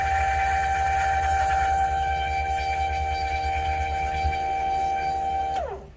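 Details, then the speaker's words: Trim-tab hydraulic pump on a Regal 33XO boat gives a steady, even electric whine over a low hum, then winds down smoothly; tabs confirmed moving up and down, pump moving fluid, running normally. "We verified they go up and down, you can hear them."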